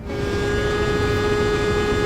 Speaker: When I hit the brakes, there's a constant buzzing sound. Do you know the reason?